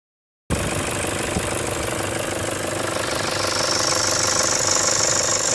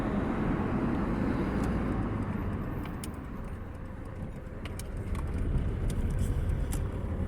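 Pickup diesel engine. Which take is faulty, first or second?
first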